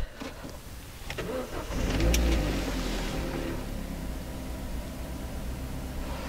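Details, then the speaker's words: 2008 Vauxhall Corsa 1.2 petrol starting: a short crank, then it catches quickly, flares briefly and settles into a smooth, even idle. Normal cold start; an oil pressure light appears on hot starts and the service light is on, old oil and filter suspected. "you can hear it's quite a smooth starter to be honest no issues at all"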